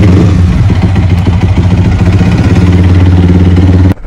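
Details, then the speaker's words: Bored-up Yamaha R15 V3 single with suspected lost compression, hard to start, a failing starter gear and a borrowed battery: loud, uneven idle knock about three to four per second; internal damage suspected, unconfirmed. "Jadi kalian itu udah tahu kan, suara mesinnya itu kayak ada yang nggak normal gitu kalau misalnya dinyalain."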